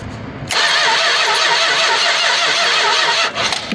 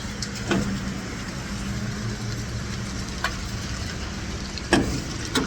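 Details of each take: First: 1967 Chrysler Newport, sat for years in a barn or garage: steady starter churn about three seconds, decent compression, never fires; crank no start, spark tester shows no spark, points suspected. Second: 1967 Chrysler Newport big block, run after years of storage, fed by squirting fuel down the carb with the tank fuel pump unproven: cranks, catches, settles to a steady lumpy idle then a louder rough run.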